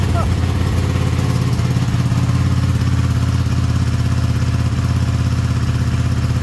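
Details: Ducati 959 Panigale twin race bike, which had cranked but not started, after cleaning and testing the air temperature sensor, on a slightly low battery: steady, even idle with a regular low thump and no misses. Normal idle.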